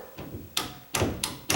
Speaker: But before I do that, these doors seem to be closing pretty good, but I can tell the edge of this door is rubbing on the side of that door.